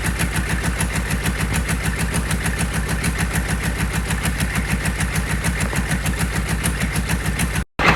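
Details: Rebuilt GEP/Navistar 6.5 diesel (GM design, block cast 2009; Scat crank, bored 30 over, moly pistons and bearings) with Stanadyne DB2831-4911 injection pump, warming toward 180°F, good oil pressure; even idle clatter, regular firing, no misses or knocks; healthy.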